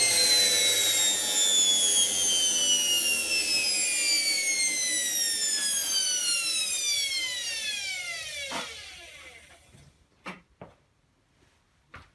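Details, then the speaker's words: Hotpoint HTB721 washing machine motor hotwired directly to mains through brushes and coil; brushed motor whines high and smooth then pitch falls as it coasts down, working motor. "if i turn it on it should just go make some noise so let's uh plug it in and see what happens hopefully it'll make some noise"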